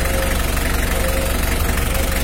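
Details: Mitsubishi L300 diesel at idle during a radiator fan and fan-clutch airflow check. Steady, even fast clatter with no misses or surging; the engine idles normally.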